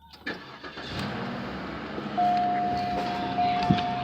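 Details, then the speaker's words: 2003 Cadillac DeVille, key set in drilled-out failed ignition switch as temporary fix: starter cranks briefly, engine catches and settles to steady idle with constant chime tone; starts cleanly. "You'll probably hear it start."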